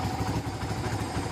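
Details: Kawasaki Barako 2 motorcycle with hard-starting complaint, carburetor settings 810 and 3.5: steady even low putter with no misses or knocks; smooth regular idle.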